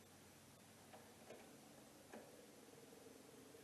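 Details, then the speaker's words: Long-sitting 1974 MGB GT being revived, with battery and jumper cables reconnected: faint sparse clicks as power comes on, the old electric fuel pump ticking and working normally. "I hear the fuel pump I don't know if you heard that the fuel pump actually works"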